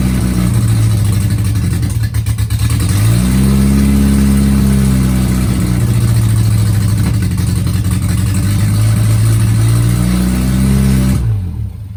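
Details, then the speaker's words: Innocenti 1275 A-series Mini engine bench-started for first time in nearly 20 years, exhaust manifold and carb fitted: small four-cylinder runs at fast idle with throttle blips, firing reasonably even, then dies cleanly when coil lead pulled; oil pressure present. "And that, ladies and gentlemen, is how you bench start an A-series engine. Wow, the engine actually ran, and it ran for a bit of time as well."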